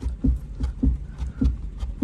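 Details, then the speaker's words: Chevrolet Malibu turbo auction car on a test drive: dull low clunks about every 0.6 seconds as the steering wheel is rocked back and forth, from play in worn outer tie rods needing replacement. "that's going to be outer tire rods being bad there's play in your outer tie rods and it's causing that noise so this vehicle is going to need outer tie rods"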